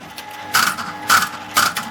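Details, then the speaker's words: 1979 Aristocrat Esprit 4-reel mechanical slot machine, corner arm resetting: rhythmic clicking and ratcheting about two a second, then a mechanical reset; mechanism cycling normally, ready for the next game. "You see that? That's how it works, ready for the next game, basically. That's how this thing works."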